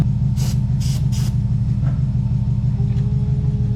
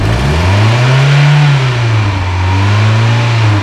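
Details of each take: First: Long-sitting barn-find Mazda Miata: cranks, no fuel delivery and fuel pump not heard priming (suspected pump, fuses or relays); fires briefly with a harsh burst only on starting fluid, good oil pressure. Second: Mazda Miata barn find started after sitting; showed 30 psi while cranking. Engine revs with a smooth, even rise and fall in pitch, no knocks or misses. Normal, healthy rev.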